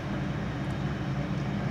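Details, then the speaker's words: 2003 Lincoln Navigator 5.4L V8 (crank-no-start complaint) running with a steady, even low rumble, no stumbling or cutting out, after starting; confirms the fault is the fuel pump relay in the junction box, to be replaced or bypassed. "as you can see the vehicle did start but no problem so that just verifies hundred percent our problem it is the fuel pump relay"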